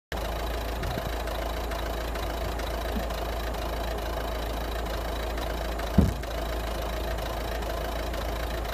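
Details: 2011 Citroen DS3 110 HDi diesel idling: steady clatter with a faint, regular clicking running through the engine.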